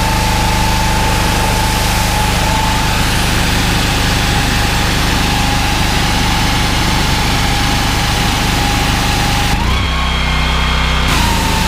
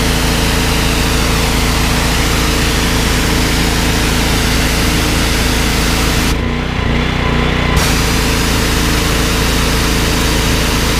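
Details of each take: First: Honda GX390 13 hp driving 21-litre pressure washer pump: steady single-cylinder drone that dips in speed and roughens when trigger pulled; engine struggles and bogs under load. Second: Briggs & Stratton XR2100 14 hp driving 21-litre pressure washer pump, easy start: steady loud single-cylinder thrum holding speed without dipping when trigger pulled; healthy under load.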